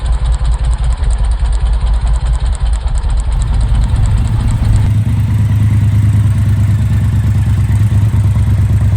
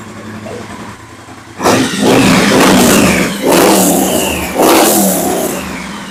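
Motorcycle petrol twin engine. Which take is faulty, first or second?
first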